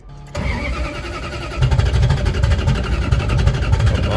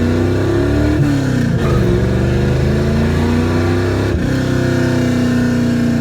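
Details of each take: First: 1967 Plymouth Valiant: starter cranks about two and a half turns per second with uneven pulses but never fires; owner suspects spark plugs fouled by fuel pressure issues, ballast resistor then replaced without fixing it, reluctor gap being adjusted. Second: 1967 Plymouth Valiant carbureted engine after realigning the carburetor gasket, refitting the air cleaner, tuning idle mixture screws and adjusting fuel pressure: pitch climbs and falls smoothly through the gears with no stumbles or misfires.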